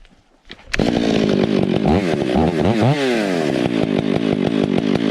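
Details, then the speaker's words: Stihl MS 461 with Westcoast Saws dogs, bark box and Maxflow air filter, limiters removed, retuned, still breaking in: revs up with a burbling, uneven stutter instead of a clean scream; carburettor set slightly rich, four-stroking. "right now we're looking for a little bit of that four stroke noise and it's kind of a little bit of a rumble noise and we don't want it to actually just totally scream unless we're in the"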